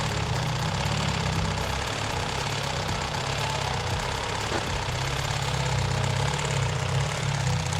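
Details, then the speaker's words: 1992 Honda Civic EG hatchback, turbocharged built engine, cold start: a light, fast rattling tap over the idle that goes away once warm; stethoscope places it at the timing belt tensioner, the belt is seen jumping, and the tensioner is to be replaced. "we have a timing belt noise mainly when it's cold and makes like a a rattling noise and you know it'll go away when it gets warmed up"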